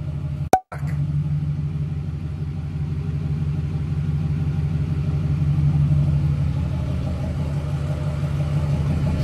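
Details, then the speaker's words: Newly built SoCal Diesel twin-turbo 1,000hp Duramax diesel after harness re-pinned per SoCal's instructions: steady low idle with even, regular clatter, no stumbles; far better than the night before, now running normally. "now it's time to fire up because she should sound more normal now we will see here momentarily oh that's way better that's way better than it was last night"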